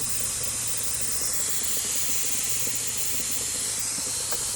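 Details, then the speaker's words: 2006-11 Honda Civic, turbocharged though not built for it, overheating: steady steam hiss with faint coolant bubbling and smoke, no engine beat; owner suspects coolant and plans a built head with head studs. "sounds bubbling i wanted can see condensation and all that"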